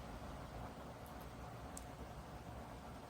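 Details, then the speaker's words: Dreo Pilot Max bladeless column fan running at maximum speed 12: steady rushing airflow with a low, even motor hum, no slight whirring or bearing noise like the Pilot Pro had; normal running at top speed. "So at this speed you could hear it blowing air, and you could hear the motors, the motor I should say, spinning, but at least to my hearing I don't hear that slight whirring or bearing noise that I did in the Pro."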